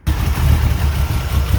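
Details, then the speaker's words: 1985 Dodge D150 with a 408 stroker 360 Mopar, Comp roller cam, Holley 850 carb, MSD timing locked at 10°, first start after sitting a while: deep, lumpy, loping idle around 700 rpm, rough while cold, cause unclear. "all right now as you can see it starts running a lot better it's a little rough cold it hasn't started in a while"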